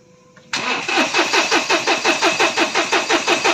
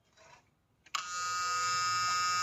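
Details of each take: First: 2020 Mahindra Bolero Power Plus diesel in neutral; starter cranks at a steady even rhythm, about three compressions a second, fuel pump audibly running, but no start; faulty fuel control unit, codes P000100 and U242000 logged. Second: 2020 Mahindra Bolero Power Plus that cut out at speed, after fitting a second-hand fuel control unit motor: after a pause a steady high electric whir holds evenly; FCU motor primes normally, then engine starts.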